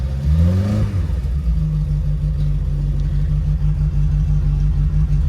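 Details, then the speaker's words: VW, 115,711 on the clock, carburettor engine after sitting 2–3 weeks, new cam belt, full service and flange done; catches within a second on a little choke, flares, then settles to a steady even idle. Normal start-up and idle. "Just got a tweak in the carburetor now. A little bit of choke on. Sounds beautiful."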